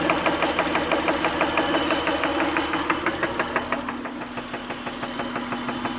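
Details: Acura car engine idling smoothly with a crisp, steady tick of about three a second; ticking noise at idle.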